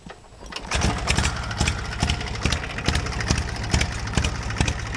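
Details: Small engine on a homemade tractor, first start with a new homemade exhaust of 1-inch square tubing sealed with exhaust putty; catches after a brief crank and settles into a steady, slightly uneven chug with sharp exhaust pops; normal running.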